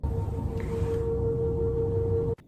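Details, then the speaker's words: Running air conditioner with a steady, fairly high whistle over a low rumble, then cutting off. Possible causes are a clogged air filter, a frozen coil or blocked return vents. "it could be from a clogged air filter frozen air conditioner coil or even blocked return vents"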